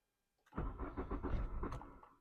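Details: Mk3 VW Golf GTI 8-valve petrol, 115,000 miles, left sitting about six years since its 2016 MOT: the starter spins the engine at an even rate for about 1.5 s but it never catches. Owner can't hear the fuel pump and suspects it isn't working.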